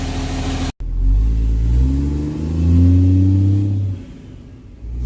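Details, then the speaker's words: 4th-gen Cummins diesel, six-speed, after a 2nd-gen turbo swap with open, heat-wrapped downpipe, run while bleeding the cooling system; deep booming exhaust through two free revs, sounding like a semi truck, loud uncorked exhaust. "it sounds like a semi truck now so yeah if you guys didn't know this is also a six-speed literally the only reason he did the second Edge swap was because he wanted it louder"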